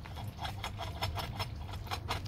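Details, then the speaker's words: Failed fan clutch bearing removed from a 2005 VW Passat 2.0 TDI, spun by hand: gritty, rasping rumble pulsing about five times a second; noise was heard more at idle and highway cruising, like a bad bearing. "is a very annoying noise and you hear it more at idle or when you cruise on a highway it just sounds like a bad bearing"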